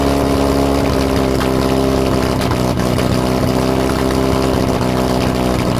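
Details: Lotus Europa Twin Cam, 123 Ignition distributor, Stromberg carbs, after distributor adjustment: uneven, lumpy beat with occasional stumbles over a steady drone. Not running clean, though carbs spit less than last time; timing and valve clearances suspected.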